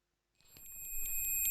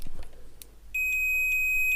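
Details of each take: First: Multimeter continuity mode fault: thin high-pitched beep pulsing about twice a second and swelling louder; continuity buzzer misbehaves because of a wrong resistor on the board. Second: Multimeter after continuity buzzer repair: after a few probe taps, a clean, steady high-pitched beep comes on and holds without breaking up; continuity beep working normally.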